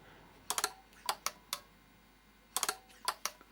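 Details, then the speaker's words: Washing machine water-level pressure switch, removed, operated by blowing down its tube: crisp sharp clicks in small clusters, two bursts about two seconds apart; switch snaps over cleanly and works normally. "Slight pressure on this as the water fills up, the switch switches and turns the pump or the water off, turns those solenoids off. If I blow down the end you can hear them switch."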